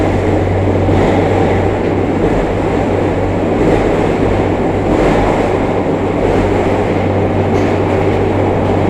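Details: JR Kyushu 303 series K01 set, car 4 MoHa 303-1, rapid train between Shimoyamato and Hatae, recorded with a built-in mic directly above the Hakata-end bogie. A deep groan and heavy vibration around the traction motor track motor speed; cause unknown.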